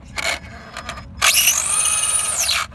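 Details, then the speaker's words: Brushed Traxxas Slash 2WD on 2S after a hard skatepark landing; a harsh, high rasping whir under throttle for about 1.5 s; slipper clutch was first suspected, but spur and pinion gear mesh had pulled apart and were grinding. "it turns out that um it was not the slipper clutch that was burned up it turns out it was just um the gear mesh the gears pulled apart"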